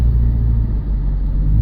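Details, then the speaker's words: 2000 Subaru Legacy, high mileage, pulling off from stop at half throttle: deep heavy rumble that won't climb freely though tach shows normal revs; labored, down on power, sometimes pops, cause unknown. "Struggling. A lot of struggles. I'm like halfway pressing the gas, and this is not very good. It looks like it's revving properly as far as the rev meter, but the sound wasn't very good just then."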